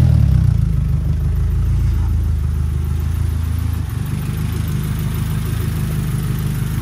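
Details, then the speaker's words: Restored Renault R5 Alpine Turbo petrol engine with refitted carburettor and turbo, restarted, accelerator and choke cables not yet fitted; deep steady even idle, no misfire, runs round though owner unsure it's right; normal idle. "normalement il démarre voilà il tourne rond mais appiori c'est pas forcément bon"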